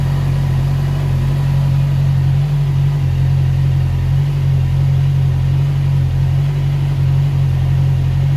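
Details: Heavy motorcycle with its exhaust repaired, polished, painted and reinstalled: a deep, steady, even rumble with no ticks, rattles or leaks, just a clean throaty exhaust note. Healthy engine and exhaust.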